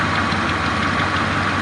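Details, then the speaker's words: 1977 Chrysler Town & Country station wagon V8 idling cold just after starting, steady idle with a faint quick ticking from a small exhaust leak; owner notes it may also need a timing chain. "You can hear that exhaust leak a little bit."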